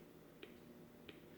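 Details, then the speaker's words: 1960s Volt 2-transistor radio, previously completely dead, battery 4.3 V: two sharp speaker pops when power switch is wiggled, no station received; improvement but still no reception. "well it was working right into hear that now now with a pop out of the speaker when you wiggle the the power switch"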